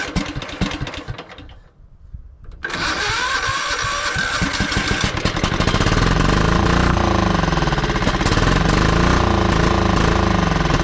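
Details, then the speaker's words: John Deere LX255 lawn tractor, Kohler 15 hp engine, sat for years; starter cranks, then it catches on starting fluid and runs loud and steady, fires when fed fuel directly; fuel supply to be sorted next. "oh too much Stark flu he does this thing have a muffler on it holy it looks like it does is it hooked up this thing's loud I mean she runs pretty good"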